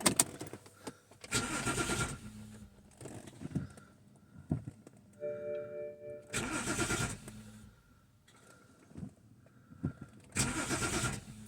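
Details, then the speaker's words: 2010 BMW 528 (N52, Valvetronic) that sat long without starting, scope on ignition and starter current: three short cranking bursts, each cutting off abruptly after about a second without catching; cranks and stops. "obviously it cranks and stops"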